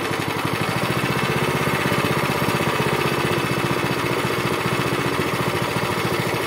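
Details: Zipper plate compactor that had smoked, run unevenly, stalled and lacked power, after its fuel system was washed and cleaned, a strainer fitted and a choke start: the single cylinder thumps along steadily and evenly with no misses or surging, now running well.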